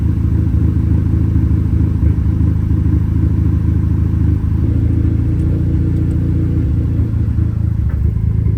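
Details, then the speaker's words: Audi A3 8P petrol engine at idle after a cylinder head rebuild. The spark plugs were changed and refitted, but it still misfires. Low, loping idle with an irregular stumble breaking the beat; cause unknown. "oh no we're still misfiring well that's great let's see what that is"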